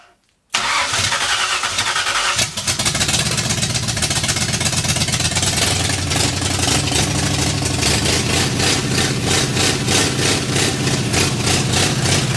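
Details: 1964 Ford F100 with a salvaged 302 V8 and big full-roller cam, in park, revived after decades off the road; cranks and catches within a second, settles into a steady even beat with no knocks, then runs out of fuel; starts and runs fine.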